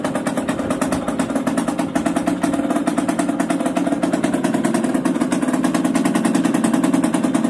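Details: Yamaha DTR 125 two-stroke, first start after fitting unrestricted Gilera SC CDI, new seals, 240 main jet, powervalve fully open, Big One exhaust; crisp rapid popping, fast and even with no cutting out or misfire: normal running.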